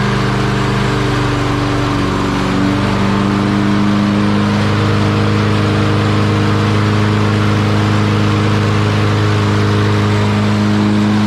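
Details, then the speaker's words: Lawn Boy mower with a Kohler engine that had cut out and died, running after its carburetor jet was cleaned of rust particles: steady, even single-cylinder drone with a smooth firing beat and no misses or surging; running normally. "Okay, I think we fixed our issue."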